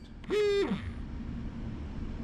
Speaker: we're gonna go ahead and turn it on you can hear the alarm it's actually pretty loud and pretty annoying